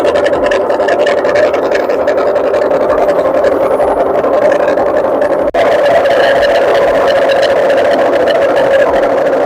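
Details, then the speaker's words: Candy RapidO front-loader washer-dryer on spin, not reaching full RPM: loud, rough, steady roar with a mid-pitched drone from failed drum bearings. "It's very bad voice, very loud noise from the machine. That's been already bearing gone."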